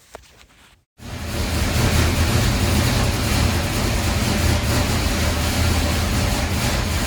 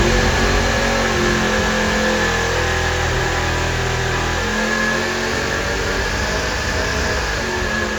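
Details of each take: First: Supercharged 483 big-block Chevy V8 warming up on the dyno before pulls: deep, even rumble at idle with small smooth throttle blips, no misses or pops; sounds healthy. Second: Supercharged 483 big-block Chevy V8 on dyno held at high revs near 6,300 rpm: roars, stumbles and briefly drops out before picking back up; popping misfire.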